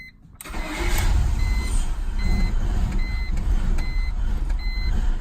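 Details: BMW E46 with check engine, airbag and cluster lights: engine cranks and catches, then idles with an uneven, surging rumble under a repeating door chime; rough idle that may stall, cause unknown to owner.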